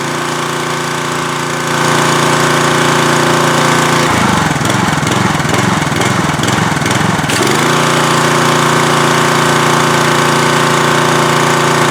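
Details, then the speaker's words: Troy-Bilt pressure washer, Briggs & Stratton engine, after carburetor main-jet cleaning: runs steadily, then hunts up and down a few seconds as it idles down before settling; mild idle surge, runs reliably. "i really don't like this idle down technology i don't know why it has to do that i i don't i don't see the advantage and it still wants to like surge a little bit but we got it running pretty reliably"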